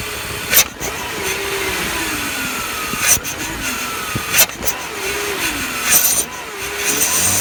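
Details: BMW E46 at idle with a new ICV, MAF, intake boot and DISA fitted: a loud hiss of air being sucked in, with whistles rising and falling as revs dip to about 400 rpm. The owner also reports heavy oil consumption. Source not confirmed. Air leak hiss at idle.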